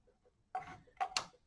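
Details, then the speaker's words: Lee Auto Breech Lock Pro progressive press, Pro Auto-Disk powder measure: annoying spring rehooked into a hole drilled in the washer so it has tension to reset; sharp, crisp clicks in small clusters as the measure resets cleanly each actuation. "I'm going to hook that spring into that hole that I drilled in the washer and then attach it to that reset on there we go now as the powder gets actuated"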